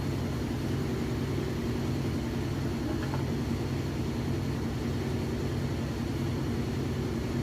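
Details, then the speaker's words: GE top-load washer on spin with a heavy load of jeans and towels: steady, even hum at constant speed, no shaking, thumping, banging or scraping; very smooth. Normal spin cycle. "that's running really well there's no shaking my hem might be a little shaky but there's the machine isn't that shaking at all sounds good very smooth"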